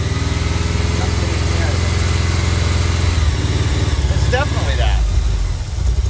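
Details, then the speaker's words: 1987 VW Vanagon Syncro Westfalia parked since 2001, getting harder to start and run on starting fluid. It runs at a fast idle with a steady, even beat and no knocks or misses. The fault was later found: a pin pulled out of the airflow meter harness connector. "Definitely that. I mean, that sounded phenomenal."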